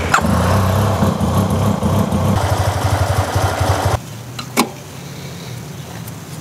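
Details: 2009 Yamaha TMax scooter after new spark plugs, battery partly charged: engine catches and stumbles unevenly, lumpy pulses near four a second, then dies; owner suspects clogged injectors, later a failing fuel pump starving fuel.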